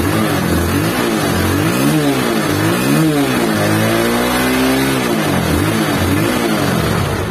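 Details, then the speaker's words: Honda CB150 Verza, about 2020, after running without oil and seizing on the road, now repaired and refilled: clean, even revs rising and falling with no knocks, rattles or misses; engine smooth and normal again, not to be revved hard yet. "udah mantap udah halus lagi mesinnya dan normal lagi jadi jangan dulu digeber jangan dulu di gaspol ketika jalan Soalnya biar lancar dulu"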